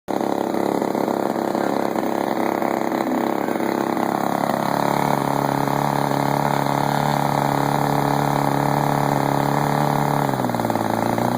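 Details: Dle30 two-stroke engine running: steady buzz whose note sags and shifts near the end; vacuum leak at the reed block gasket found using carb cleaner.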